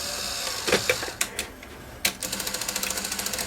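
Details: Sony SL-HF900 SuperBeta VCR, serviced elsewhere and then found not working, with poor picture, after a fallen-off tape guide was shaken out: sharp clicks, clacks and fast ticking chatter as the tape loads; noisy loading mechanism, and the alignment is badly off.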